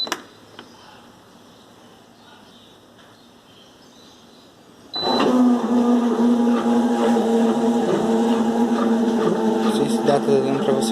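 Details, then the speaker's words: Electrolux washing machine, heavy spin cycle: after a quiet spell a loud steady buzzing hum with rough whine from the water drain pump at the bottom rear; drain pump faulty, needs replacement. "esse barulho aqui devido a bomba de água está com defeito"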